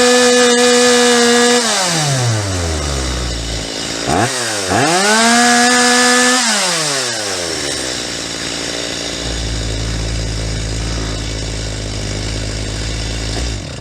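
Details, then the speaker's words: Stihl MS250 chainsaw, carburetor cleaned, high-mixture screw turned in at wide open: screaming revs peak then dive and bog twice as leaned past peak; set back to slightly rich, rougher four-stroking burble. "same thing you could see how I turned in that high mixture screw until the saw reached its peak and started to go over the edge and bogged down"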